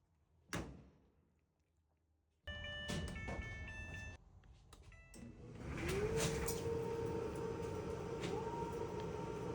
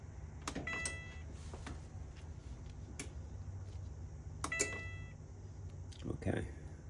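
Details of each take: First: Whirlpool/Maytag dryer brought in not starting, with a broken belt and no heat; cleaned and run on a 120 V jumper lead without 240 V: handling clunks, then the motor hums up to speed into a steady, even drum rumble, no squeal or thumping. Normal operation. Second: Whirlpool/Maytag dryer (not heating per report; later found broken belt) at start press gives only scattered clicks and a brief chirp, no motor hum or drum turning; won't start, thermal fuse suspected, not confirmed.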